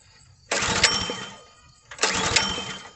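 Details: Log splitter small engine that won't start, pull-started after clearing fuel pressure from head, choke off: short sputtering bursts that die without catching; gas found built up in carburetor bottom, suspected cause.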